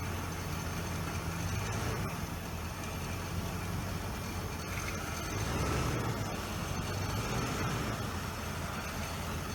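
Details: Low, even idle on a 1989 Lincoln Town Car with a soft steady rumble and no knocks or rattles, heard after the EGR valve was replaced; the engine is running healthy.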